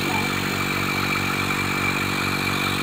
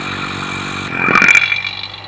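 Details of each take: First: Single-stage 3 CFM vacuum pump used for valve seat leak testing, inlet open: motor hum with rapid, uneven gurgling, bubbling pulse and airy hiss; pulling air straight through with no vacuum, bubbling stops when inlet is closed. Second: Single-stage 3 CFM vacuum pump used for vacuum testing valve seats, fully closed at 28.5 inHg. A brief hiss, then only the motor droning evenly, with the earlier bubbling gone. Normal running at full vacuum.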